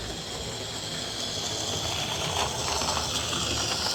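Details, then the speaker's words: Mainline J72 model locomotive, previously serviced, cleaned and oiled, runs well but makes a grating noise: a thin, high scraping grind with an uneven ratcheting edge under a hiss. Probably the chassis gears. Stripped down to try to quieten it. "and it runs really well, but as you could hear there when it was running, it's quite a noisy little bugger."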